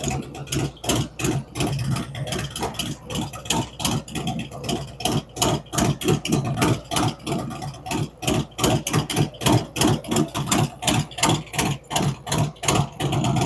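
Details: V-twin on first fire-up after Zipper's 468 cam, adjustable pushrods, aluminum intake, 5.3 injectors, existing headers and ThunderMax; lumpy but regular lope about three beats a second, steady throughout; normal idle.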